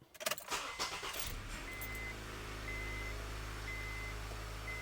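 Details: 2007–2011 (third-generation) Honda CR-V just after alternator replacement: short crank catches quickly into a smooth, even idle with a soft repeating chime; battery light gone; healthy start.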